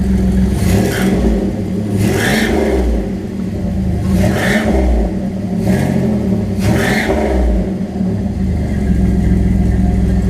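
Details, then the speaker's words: Boxer engine with newly built turbo-style exhaust (no turbo fitted yet), possible small exhaust leak: idle with low uneven burble, blipped about five times, slight boxer rumble, sounds normal. "sounds about the same as it did before there's a slight boxer ruffle to it but nothing wild"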